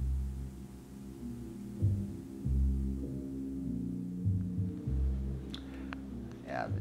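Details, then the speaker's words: 3M Cantata background music system, sliders at maximum after recapping: music comes through faint and dull, only low bass and no treble, like through a wall; failed germanium transistor. "as you can you can hear it sounds terrible it sounds like you're listening through a wall"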